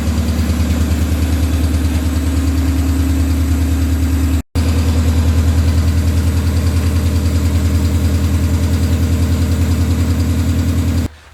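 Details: Honda B18B engine after injector fix, fuel return line hooked up: even, steady idle with smooth low firing pulses and a loud exhaust note, no stumble or skip; normal idle, misfire was the injectors all along.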